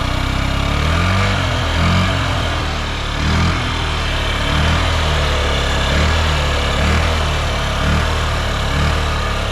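Small single-cylinder putters at a smooth, even idle with a steady low beat and no knocks or rattles; sounds healthy.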